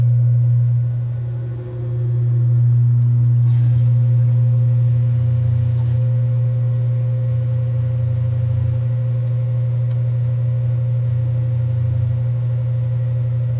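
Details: 1978 Kenmore 70 Series washer with new-old-stock motor, belt and pulley fitted: smooth low motor hum with a regular woo-woo swell about four times a second, steady, no squeal; agitating normally.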